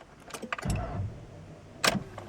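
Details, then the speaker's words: 2008 Honda Pilot non-runner with a new battery, key turned: just a sharp click or two and no cranking; the starter can't turn the engine, which is locked up. "so did you hear that yep she is locked up"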